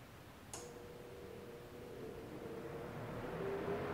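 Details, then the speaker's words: DIY Arduino-controlled shop air cleaner fan switched to low speed via relay: after a click it settles into a quiet, steady low hum with no rattle, normal low-speed running. "that's a pretty quiet hum that's clearly low-speed now I'll press the up which would be high-speed"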